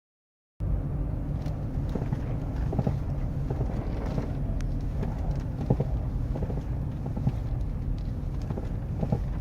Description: When my 2012 F350 is driving in weather below 15-20° F or so, it makes a loud crunching/clunking in the front which feels to be in the steering.